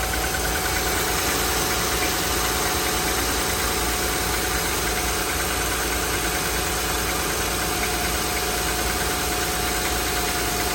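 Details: 2007 Honda Pilot V6, 149k miles, timing belt and serpentine belt replaced at 146k, cold start in very cold weather: dense, busy clatter with a light ticking knock that goes away within 10 minutes as the engine warms.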